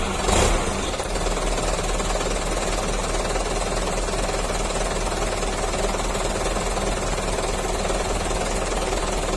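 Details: Truck diesel started after battery maintenance and terminals retightened: cranks with a short burst, then settles into a steady, even clatter at idle with no misses; healthy start and idle.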